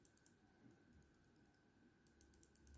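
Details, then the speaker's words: Computer mouse button clicked for comparison: light, soft clicks with little snap and almost no resistance, unlike the good button. The microswitch is worn, and the fix is to desolder it and replace it. "all right so i don't know if you can hear but this one is clicking good and has some resistance but this one you can barely hear it and has almost no resistance when clicking"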